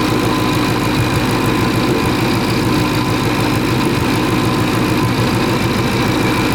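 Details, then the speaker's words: Supercharged 2013 Mustang GT V8 at idle: loud, uneven, stumbling beat with some firing pulses dropping out; a steady misfire, yet the scanner logged no misfire counts on any of the eight cylinders. Cause not yet found. "but i know you guys hear this right now it's that's misfiring"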